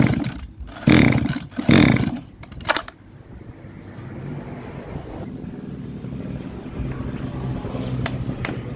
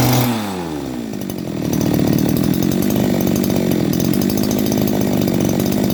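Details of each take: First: Model 411 two-stroke brush cutter: engine swells loud twice in quick bursts, then drops to a low uneven run; two bolts holding the carburetor to the reed came loose, the carb flange no longer seals, starving fuel; surging from air leak, reed replacement needed. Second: Type 411 two-stroke grass trimmer that was hard to start and surged, after a carb clean and a replaced reed valve: after a brief pull-start it settles into a steady, even buzz with no hunting, a stable idle.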